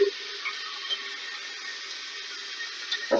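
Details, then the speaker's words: Steady, even water hiss with a faint low tone from an old Fluidmaster toilet fill valve that keeps running, constantly shooting water into the tank; the customer heard water running in the walls; quieter than before but still running; heard before replacement with a new valve. "you can see now how this thing is making noise and it's just running and it is not near as loud as it was before but if you look at that thing right now it's constantly shooting water down"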